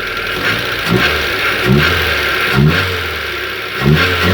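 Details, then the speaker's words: Hyundai Getz after engine rebuild with engineered cylinder head, no coolant yet: steady idle with quick throttle blips rising and falling cleanly, no misfire, firing on all cylinders. "She's ticking very nicely. She's firing on all"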